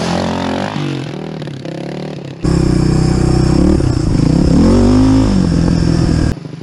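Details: Suzuki DR350SE single-cylinder dirt bike, abandoned bike being revived with new parts, after valves cleaned: starts and runs strong, picks up cleanly on throttle blips and settles back without stumbling; normal running.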